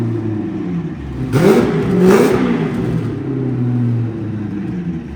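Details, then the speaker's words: 2000HP twin-turbo Lamborghini with Comp Turbo turbos, before heat cycling, bearings possibly tight: two quick rising revs over steady idle, settling back with no rattle; sounds good. "I mean, it sounds good."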